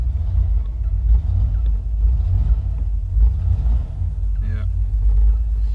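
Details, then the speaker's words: 1979 Opel Monza Series 1 barn find, running after revival with good oil pressure and gauges working: a low rumbling idle that stumbles every few beats. A stubborn misfire of unknown cause; owner wonders if the injectors are bad. "however what's not good is this stubborn misfire and I just I'm not totally sure where to go next"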